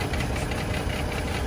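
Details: Chevy Trailblazer with a rough idle, a loping thump and irregular exhaust pulses. Misfire on cylinders 3 and 5; unsure whether spark plugs, coil pack or ignition coil are to blame.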